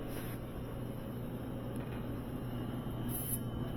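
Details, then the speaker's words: Sub-Zero UC-24R undercounter refrigerator compressor after nitrogen pressure test, recover and Freon recharge, running a while and pulling down to 46 degrees: low, steady hum, no knocking or rattling; unit was condemned but the compressor seems to work; normal running. "so why was this thing condemned I don't know seems like it's working to me"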